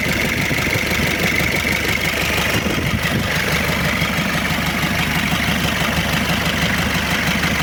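Loud, harsh diesel clatter at a steady idle with a gritty, uneven edge; rough engine noise, cause not yet pinned down.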